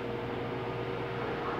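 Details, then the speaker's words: Arno Turbo Silêncio Maxx 40cm fan on 220V, after power capacitor replaced for low-power complaint: even soft rush of air with faint steady motor tone, no buzzing or rubbing; super quiet and strong. "e o aparelho super silencioso muito forte gente"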